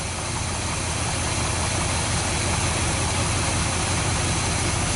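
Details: 1973 Dodge D100 V8 after an ignition box replacement and new fuel line in place of 34-year-old cracked line: runs on at a steady idle under heavy hiss with no stumble or miss, seeming to take gas better. Normal running.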